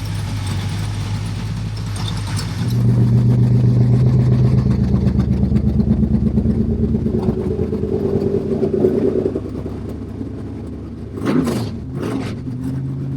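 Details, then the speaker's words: Stroked Mopar 400 big-block Dodge V8 through open headers, no exhaust yet, fan cycling with temperature 180–200: deep lumpy burble, clean rev settling to even idle; running healthy. "Sounds Sounds good. It's not ready to cruise yet,"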